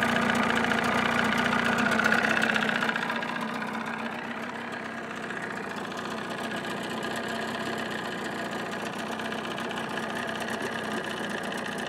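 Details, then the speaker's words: 1979 Evinrude 35hp two-stroke outboard idling with sound-deadening insulation in hood: smooth, steady, muffled buzz settling after first seconds, no knocks or rattles; about 80–83 dB beside motor, 76 dB two feet back; normal idle. "about 80 to 83 up here next to the motor i pull it back about two feet she's about 76."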